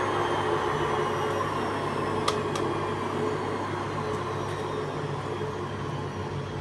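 An even low motor hum with a few light clicks; the washer runs a touch rough but still within acceptable limits.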